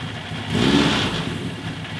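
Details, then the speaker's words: 1980 Suzuki GS1000S Wes Cooley, carburettors reassembled, hard starting and stalling off idle when warm: idle swells, then sags and wavers as if about to die; won't hold idle. Owner suspects carb imbalance, carb sync next. "So if it gets gets a little low, won't really hold that idle."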